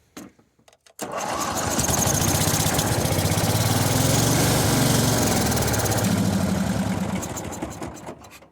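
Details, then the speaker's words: Mid-90s Cub Cadet 1641 with Briggs Vanguard, sat 3 years, fuel pump now delivering fuel; steady cranking about seven seconds with uneven near-catches but never runs; cranks but fails to start, cause unclear. "Oh man, it's almost going. It's almost there."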